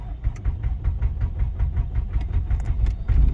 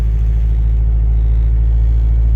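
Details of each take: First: Honda Civic with no-start condition, outside in chilly weather on a jump pack: steady rapid cranking about four beats a second, engine spins evenly but never catches; failed to crank on first try, loose connection or bad starter suspected. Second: Honda Civic with a no-start complaint, just started for the first time; steady low rumble with an even firing pulse, running slightly rich after the fresh start; normal idle.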